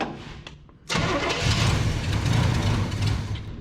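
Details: 1973 big-block Chevrolet C10 that sat for a year or more, after fuel is poured into the carburetor bowl and the distributor is moved back a hair: brief cranking, then a ragged, stumbling burst of low firing that never settles; sputtering start.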